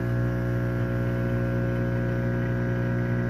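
A microwave runs with a heavy, steady mains buzz, caused by a shorted high-voltage capacitor.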